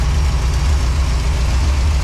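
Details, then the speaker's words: 1984 Dodge D100 big block, originally a slant six, on a 600 CFM Edelbrock carb: after carb tuning it holds a deep, steady, even idle at about 800-850 rpm with no misses. Fuel looks milky, belts squeak slightly, and it is running well. "all right after a little bit of tuning on that carburetor set the idle we're about 8 or 850 right now it's sitting and purring way better"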